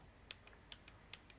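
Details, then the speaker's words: New Bosch 0 280 142 486 evap purge valve for Vauxhall Corsa D 1.4 petrol, bench-tapped on and off: faint crisp paired clicks about every quarter second, very soft; healthy, replacing noisy ticking old valve. "I am tapping that constantly now on and off and I'll be honest with you I can barely hear it"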